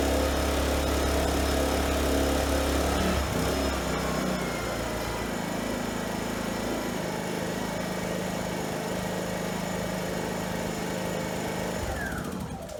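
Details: Fuji Micro inverter generator after repairs that included the recoil, valves, compression release, primer, fuel, carburetor and plug boot. It hums steady and even until shut off: normal running.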